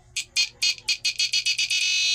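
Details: Power inverter run from a 10 V battery, no cooling fan, warming slightly: high-pitched tone stutters in bursts about four a second while the drained capacitor recharges, then settles into a steady whine as it starts and runs normally.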